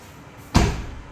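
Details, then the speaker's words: Tata Tiago car door after gap filler tube was applied to the seal. One solid, heavier, low thud with no rattle or tinny ring, a clear improvement: the door closes normally. "Heavy हो गया अभी ये, आवाज़ में काफ़ी फ़र्क है।"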